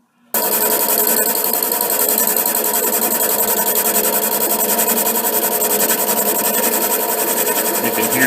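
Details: HiTorque 5100 7x16 mini lathe facing a heavy chuck-held workpiece: steady motor hum with fast even chatter every revolution as the tool hits edge ridges, an interrupted cut; the cut looks too deep, so the tool is backed off.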